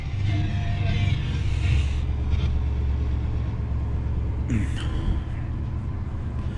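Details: Fleetwood Southwind 29 ft Storm RV, 454 V8, 32,000 miles, just after first-turn start: deep V8 rumble settling into a fairly steady idle with some handling noise; nothing abnormal, normal idle.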